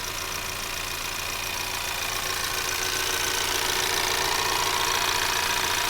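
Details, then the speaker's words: 2024 Ford Maverick XL AWD 2.0L EcoBoost, warm, at idle, microphone in the engine bay: light, quick, even ticking about three to four a second from valves and the pump; normal. "so you're going to be hearing everything from the internals of the engine to a certain extent like the valves for example or valve springs potentially to the high injector or high pressure fuel injector pump"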